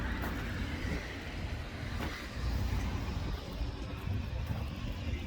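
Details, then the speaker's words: First-gen diesel crew cab truck runaway: loud steady roar that won't drop to idle, roasting the torque converter and spinning tires; cause was idle screw creeping in without its lock nut, stopped by blocking the turbo. "all right guys uh we got a runaway so like i was filming so i pulled off the road and it was just roasting the torque converter it wouldn't go slow enough"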